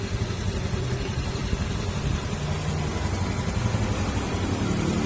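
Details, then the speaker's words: Honda Beat FI scooter idling after CVT repair of cricket-like noise from worn rollers and slider pieces, dirtied by leaking crankshaft oil seal still to be replaced; steady low rumble, no squeak, normal CVT idle. "Yan, nawala na po yung ingay ng panggilid niya. Tumahimik na ulit siya."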